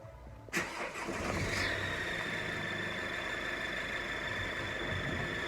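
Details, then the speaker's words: 2013 Mercedes Vito 113 CDI turbo diesel, heard from inside the cab; a steady high-pitched squeal over the running engine. The cylinder 1 exhaust manifold gasket had failed and left soot on the engine, and tightening the turbo gasket bolts did not help. "Okay guys, so my van has a really bad noise issue currently, which we suspect is coming from the exhaust manifold gasket. Failing that, it's possibly the turbo."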